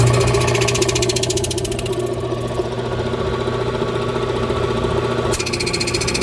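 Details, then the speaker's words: Oil-bath twin-cylinder air compressor, slow to build pressure for years before the tone changed, crankshaft turning but barely any air out: even thumping about three beats a second over flat motor hum, no labouring; not building pressure, cause unconfirmed. "as it turns listen to it you'll hear it really makes like it's not not making much of a compression at all yeah it's not doing much"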